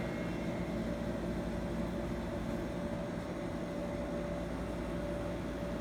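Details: 1984 Carrier Siesta 5000 BTU window air conditioner, reciprocating compressor running with fan on low, 85°F humid day: smooth, even hum with a steady mid-pitched tone and fan rush, no knocks or rattles; normal running.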